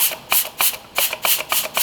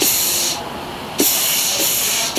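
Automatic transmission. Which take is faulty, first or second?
first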